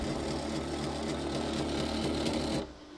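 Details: Creality Ender 3 V3 KE 3D printer: harsh buzzing rattle and stuttering stuck stepper motors because the main flat cable under the bottom cover was not fully connected; reseating it fixed it.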